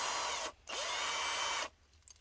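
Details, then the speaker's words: Parkside PSBSA 18LiB2 18V hammer drill driver tested powered through its terminals without the original battery: high, even whir at steady pitch, brief stop, then smooth restart; normal motor run. "and then you press it and it runs, as you can hear it."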